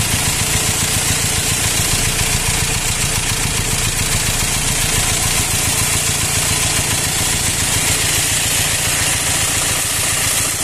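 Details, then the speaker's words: Four-cylinder engine swapped in for the original six, rough and loud since being removed and refitted. Uneven loping idle under a loud hissing air rush from the intake side; owner suspects air in the hoses, hoses replaced, cause unknown. "فالسياره بعد ما فكينا المحرك ولحمار مره ثانيه صوتها صار خشن وعالي عالي كمان"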